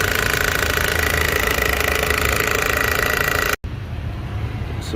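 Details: Toyota Corolla 2005 1ZZ petrol engine running: loud, busy metallic timing chain rattle caused by a stuck chain tensioner, fixed by replacing the tensioner and guides.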